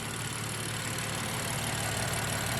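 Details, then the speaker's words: BMW M3 F80 at idle after replacing the belt tensioner, both belts and idlers plus an oil change: smooth, steady even hum with no bearing growl or chatter, where the wobbly tensioner had chattered badly before; normal idle. "The tensioner is locked in now. Before it was chattering like crazy. Now it's just hanging out."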